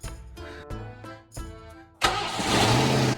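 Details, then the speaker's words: 1990 Ford Mustang V8 Fox Body convertible, sat eight years, new battery: after a failed first try and added gas, it cranks, catches immediately and settles into a strong even run; clean start after storage. "ah now that is music to my ears i was sweating it for a moment no really i didn't know if i was gonna get it to start let's let run for a moment gotta let it sink in i am surprised it started so quickly"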